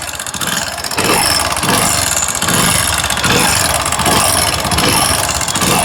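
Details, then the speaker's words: Hero Splendor motorcycle at idle, about 1.5 months after engine work: busy metallic tapping in time with the engine, caused by a broken rear portion of the rocker arm bearing in the head: rocker arm bearing tapping. "ये जो bearing है इसका पिछले हिस्से का ये जैसे आप देख पा रहे होंगे ये टूट चुका है इसकी वजह से दोस्तों इंजन के अंदर से साउंड आ रहे थे"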